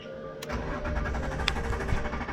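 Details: BMW E46 coupe after fuel pump replacement: starter catches within half a second and the engine settles straight into a steady, even idle with no stumble and no check engine light; healthy start.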